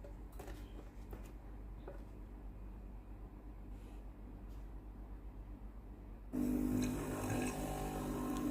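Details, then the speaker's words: Philips PSG8160 steam iron after boiler replacement: boiler now heats, so the water pump switches on with a steady low buzz, pumping water to the boiler and sending hot water out; the pump is running normally. "มีเสียงปั๊มน้ำทำงานน้ำที่ออกมาฝั่งนี้จะเป็นน้ำร้อนตามคลิปวีดีโอ"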